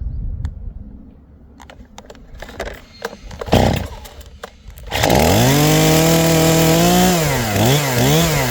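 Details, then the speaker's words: STIHL MS 271 Farm Boss chainsaw, after choke pulls and a false start then switched to run: catches and settles into an even idle with a brief rev; warm, easy start, normal idle. "There you go. So idle. Now that she's warm, that was pretty easy to start, but I've started it probably 100+ times."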